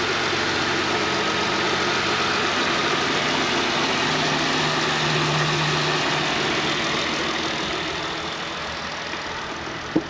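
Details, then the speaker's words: 2021 Ram 1500 Classic 3.6L V6 after serpentine belt, tensioner pulley and idler pulley replacement for a belt squeal at cold start; cold start after sitting several days, steady even hum with no chirp or squeal, belt rotating evenly, accessory drive quiet. "squeal at cold start, so this is a cold start. This truck's been sitting here for a few days, and it's quiet as a whistle."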